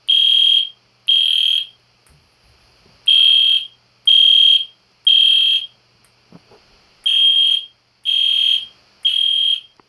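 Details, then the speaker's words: EST Genesis horn strobe fire alarm test, meant to sound like a classic Spectre alert but higher pitch: loud high-pitched blasts roughly once a second in an even on-off pattern; normal horn. "That is loud, a little bit, but... Well, I forgot to tell you guys, it's supposed to sound like a classic Spectre alert, but higher pitch."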